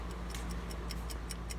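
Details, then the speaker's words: Rare project car, computer should select the backup starter: quick clicking four or five per second with no cranking, even holding the key in start; starter problem suspected. "let's see if that's true and no dice it would appear that there's something going on with the starter"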